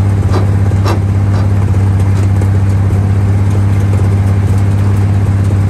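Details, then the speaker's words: 1947/1949 International 1-ton flatbed truck, sat about 50–53 years, revived: strong steady low rumble with even firing beat, no knocks or rattles; old six running smoothly. "It seems first gear we didn't have enough ugga-duggas in first gear, so we dumped her down into second once we had her revved up, and dumped that clutch once we got it working."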